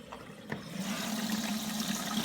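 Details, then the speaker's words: Hotpoint WMA32 washing machine on 60 wash after waste hose replacement, drain pump heard: after soft knocks a steady rush of incoming water builds and holds; inlet valve opening, drum filling normally. "can hear the pump yeah there's a bit of a jet there water's coming in again"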